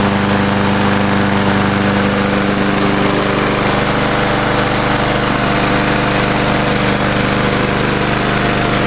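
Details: Old Murray Dynamark 22 mower, 3.75hp Briggs & Stratton, revived after seven years stored, sharpened blade, mowing thick grass: steady single-cylinder drone at constant pitch, no stumbling or bogging; healthy under load.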